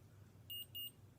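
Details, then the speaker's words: Omnipod DASH pod being filled with a Forteo and saline mix: two short high-pitched beeps over quiet room hum, confirming the pod is filled before priming. "you hear that - little beeps and the this and one thing asks did you hear the two beers so I'm gonna click Next"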